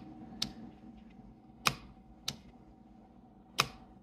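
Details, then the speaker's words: VVT solenoid removed from a vehicle, bench-tested with power and ground from a power probe: crisp single click each time power is applied and released, valve visibly moving; works normally, misdiagnosed. "As you can see, that's moving."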